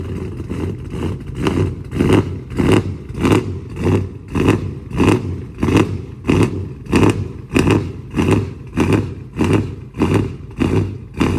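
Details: Dodge Charger Scat Pack 392 V8 with cam, new 1050X fuel injectors and Boost-A-Pump, previously running lean: cold start with the idle swelling and dropping about 1.5 times a second in an even lope before regulating; normal cold-start surge.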